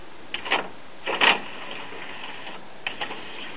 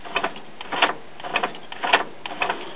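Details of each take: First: Denon commercial-grade CD player/cassette recorder (Japan, December 2001) after repair, screws not yet refitted: a few light clicks then a short motor whirr as the tray draws in and seats; loading works normally. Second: Denon commercial-grade CD player/cassette recorder (Japan, December 2001) after belt refit and an epoxied homemade pin holding a gear: irregular whirring motor bursts with clicks about once a second, tray hanging up mid-travel; gear suspected to have slipped out of place.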